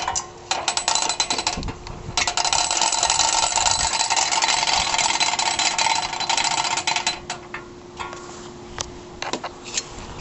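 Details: 2012 CraftLander NuCraft 6000 boat hoist winch, reassembled with greased wheel: crisp ratchet clicks about four a second following quick cranking up or down, no grinding or slipping; pawl working normally.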